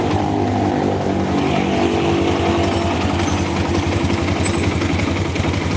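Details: Small single-cylinder motorcycle engine at idle with a loose, uneven tek-tek ticking over the exhaust beat, roughly twice a second; rough engine; cracking-like sound noted.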